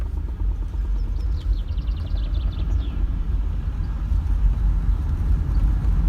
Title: Knocking sound at idle VZ Berlina